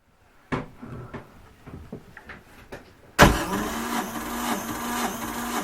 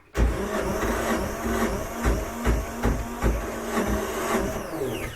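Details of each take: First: 1978 Yanmar YSB8 marine diesel, sat 10+ years in a flooded boat, after re-bleeding the fuel system: a few cranks, then it fires and holds an even, steady idle; first run in years, needed a little more throttle. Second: 1978 Yanmar YSB8 marine diesel in an abandoned sailboat, sat 10+ years flooded; carburetor cleaner in the intake: strong, steady cranking at two to three compression beats a second, almost catching but never running; fuel pump has no fuel.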